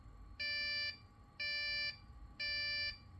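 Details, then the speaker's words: Dell OptiPlex after swapping in a third-gen CPU, original CPU dead, no RAM fitted: three long even beeps about a second apart, the missing-memory code; PC now powers on, showing the motherboard works. "three three Pips there's no room two Pips actually and it's getting hot so now I know the PC is powering one that's all I needed to know"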